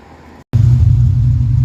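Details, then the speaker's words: Car started with both tailpipes removed, exhaust dumped straight out the mufflers; it settles into a deep, loud, raw, rough rumble, and the chassis vibration from the exhaust pipe is somewhat better. "I haven't even left the house, and it's already too loud because I'm too old. Whoa, man, that's rough."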